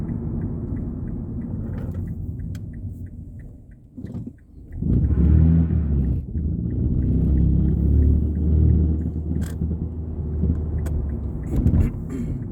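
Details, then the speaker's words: 2006 Mazda 3 2.0 L before repair, tapping the accelerator in reverse and drive and driving normally, heat shields ruled out: road rumble with sharp irregular pops and rattling; suspected worn or torn engine mount. "You can hear the rattling and the popping noises as you're just driving normally. I have already confirmed that that there's no loose heat shields or anything like that."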